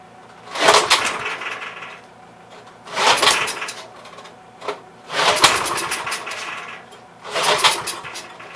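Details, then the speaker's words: Troy-Bilt tiller, parked long, carburetor leaking: four short firing bursts each dying within a second or two, won't stay running; had spark, about 82% sure it's a bad spark plug. "I'm about 82% sure. It's probably got a bad spark plug."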